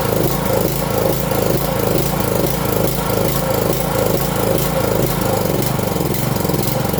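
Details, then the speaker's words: 5.5 hp petrol water-pump engine after carburetor cleaning: runs unevenly, note rising and falling about twice a second, dies when throttled down; another adjustment point still to fix. "ครับพอเราผ่อนเครื่องลงเครื่องก็ดับนะครับท่านคงจะเห็นแล้วนะครับว่าตอนที่เราสตาร์ทเครื่องเครื่องมันเดินไม่เรียบเลยนะครับเครื่องจะเดินไม่เรียบ"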